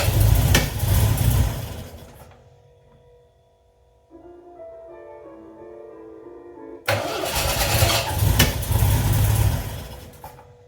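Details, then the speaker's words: 1979 MGB, cold start on choke after oil check and battery charge; engine catches and idles rough, then revs rise and level as it warms, temp gauge not yet reading; normal cold idle. "can hear the RPMs coming up a little bit. It's leveling out, starting to warm up."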